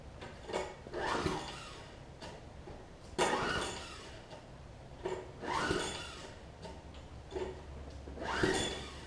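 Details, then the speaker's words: Troy-Bilt Tuff Cut 200 6.5 hp 21-inch self-propelled mower from a free lot, rough, no gas tank fitted; pull-start bursts every few seconds with brief puffs that try to catch but die, cranking without starting. "It's trying. I don't know if y'all can hear it trying to fire off there."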